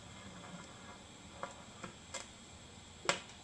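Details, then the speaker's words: TIG welding out of position with a CK Worldwide MT200 AC/DC while repairing a broken lawn roller tongue: sharp, irregular pops and crackles from dipping the tungsten into the puddle, so the tungsten needs regrinding. "I was in a weird position, but you hear that popping and crackling? That was me dipping the tungsten."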